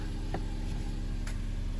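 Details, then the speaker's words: 2018 Opel/Vauxhall Mokka after fixing a P0300 random misfire with a stutter on throttle snap: steady, even low idle with the rev counter stabilizing, after a bit of smoke from unburned fuel cleared. "rev counter is stabilizing out. Gonna give it a drive, make sure everything's alright, okay?"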